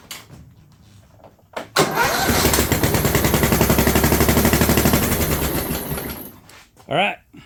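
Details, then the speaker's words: John Deere LT150 with swapped-in 15 HP Kohler single-cylinder engine, no choke, after fuel pump primed: fires and runs loud with sharp raspy popping every beat; exhaust leak at overlong exhaust studs, later redone and quiet, plus compression escaping past loose plug. "seems noisy did I not get the muffler correctly tighten let me check it"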